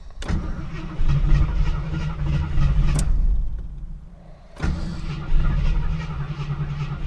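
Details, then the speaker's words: 1977 AMC Matador coupe on first drive in 20+ years: engine dies, starter whirs in short bursts before it catches and runs unevenly; owner suspects poor-quality fuel causing stalling and hard restart. "It's like it's got it gets gas, but it's like not good enough gas to actually like run great. Uh-oh. Come on."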